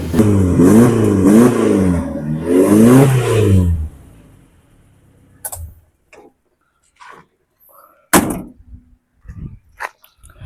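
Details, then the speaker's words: Suzuki Carry 1.0 (Adi Putro) with distributor replaced by CDI and upgraded injection-type coil (Baleno/Karimun Estilo), idle set around 500 rpm: quick revs rise and fall cleanly without stumbling or rattles; ignition stable, engine runs smoothly. "Oke, Lur. Suarane mantap. Adem. Kemudian stabil anteng, Lur. Karena di sini pengapiannya sudah stabil, Lur."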